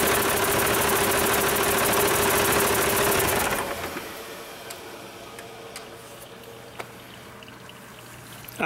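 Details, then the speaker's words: Rebuilt Cummins 8.3L diesel, for a Hyster 15K forklift, run cold after rebuild with no cooling system fitted. An even clatter settles into a quieter steady idle with no knock or miss; good oil pressure and no leaks. "well i think bailly would approve it sounds good to me uh we've got good oil pressure there's not leaking anywhere at least not yet so that's a good sign"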